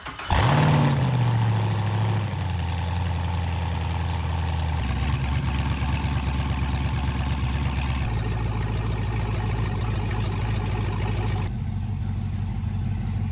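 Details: Porsche 911 with a swapped Chevrolet LS V8, after an injector-signal fault was fixed: deep V8 burble settling into a steady idle after a brief catch at start-up, even firing, no knocks or misses.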